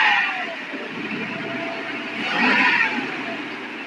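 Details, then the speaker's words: 1992 454 big-block V8 after upper-end rebuild, stock, air cleaner and cover on: quick throttle blips settle smoothly without knock or miss; small vacuum leak and one lifter ticking, possibly number one, remain. "so with the cover on the air cleaner on it's pretty quiet now you don't hear all that engine noise doesn't have thrush on it it's all stock but when you step on it sounds like"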